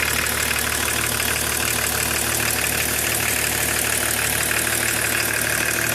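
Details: E36 325td diesel at idle: a sharp, fairly regular ticking clatter at about three per second over the engine drone. Abnormal engine noise, source not pinned down.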